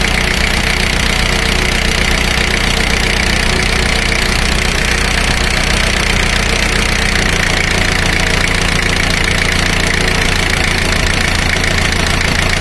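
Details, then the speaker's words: Four-cylinder diesel at fast idle, power balance test: the cylinder 4 high-pressure fuel line is disconnected and the beat slows and lowers evenly as rpm drops, so cylinder 4 is healthy. "now notice the rpm drop when i disconnect high pressure line to cylinder number four"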